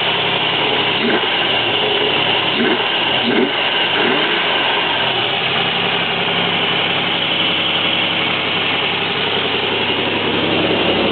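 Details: 1994 Chevrolet Z24 3.1 V6 idling with the accessory belt removed: steady even rumble, whine gone, so the whine comes from the belt drive; owner found the old cracked belt was the cause.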